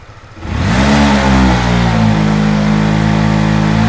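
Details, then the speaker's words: 2015 to 2018 Honda Winner V1 motorcycle at full throttle: engine revs then the note sags and won't climb cleanly while the tach needle drops, heavy throttle bog traced to a faulty sensor. "anh em nhìn anh em nghe cái tiếng máy nó sẽ lưu đi và đồng thời cái đồng thời là cái kim báo tua máy nó sẽ tụt xuống anh em nhé"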